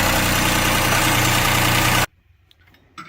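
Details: 2008 Chrysler 300 3.5L V6 with serpentine belt removed: loud rough running with a fast regular rattle about three per second, then shutoff; failed timing belt tensioner pulley bearing, metal debris found behind cover.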